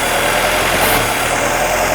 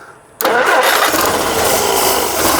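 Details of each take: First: 1958 Jeep CJ5, previously turned over but wouldn't start, running on fuel sprayed into the intake: even, steady hum with no dropped beats; runs smooth on all cylinders until spraying stops, an evident fuel supply issue. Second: 1958 Jeep CJ5, previously cranked but wouldn't start: engine catches and runs raggedly with uneven firing and surging instead of smooth idle; owner suspects fuel issue, likely flooding it, not getting fuel.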